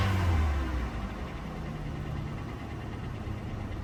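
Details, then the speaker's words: Hyundai Elantra at an auction lot with a check-engine issue on another car; brief rev back to idle with a light, fast tick about four a second over low rumble, from the engine, not belt or exhaust, getting louder as revs rise. "Okay, it sounds like it's ticking. The engine sounds like it has a tick. Does not come from the belt, exhaust, none of that. And when you rev it up, it gets louder and louder."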